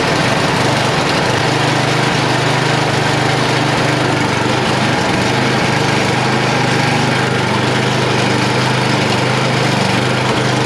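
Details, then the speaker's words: Yard Machine (MTD) snow blower with a Tecumseh 8HP engine started cold on the first pull with choke and throttle up, no warm-up, outdoors, after a previous no-start and a gaping vacuum leak; a strong, even single-cylinder bark at steady speed, running healthy. "uh that was first pull i didn't like warm it up or anything"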